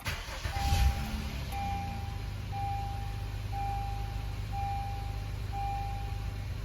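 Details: 2013 Honda Accord EX-L V6 after replacing the alternator brushes for a "check charging system" warning (previously about 12 V running); the engine catches and settles into a quiet, steady idle with a once-a-second chime, and the warning has cleared.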